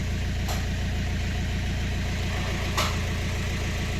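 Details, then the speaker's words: BMW 1 Series (118d/120d) N47 2-liter diesel at idle with a very bad, hard rapid knock on every firing beat, red oil pressure light and no brake pedal; knock from lost oil pressure, engine possibly dead. "This one has a 2-liter diesel engine with a very bad knocking sound, no brake pedal, and oil pressure light."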